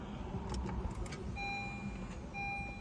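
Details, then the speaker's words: 2015 Honda Fit, push-button start with foot on brake: two brief thin whirring tones with no cranking rhythm or firing; starter spinning without engaging the engine, worsening intermittent fault, starter motor being replaced. "hear that the starter Just Wind and the car didn't start so I'm going to press the button again the car wind the car didn't start"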